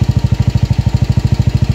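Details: Single-cylinder motorcycle that previously would not start despite fuel and spark, idling after a new stator coil, with the pulser and regulator/charging system also found faulty: even, steady thumping about eleven beats a second, no misses; running cleanly.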